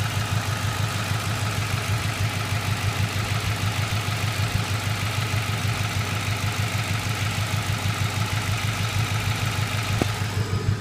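A quick, even tick rides over a steady idle, roughly two per second; ticking at idle, source not yet found.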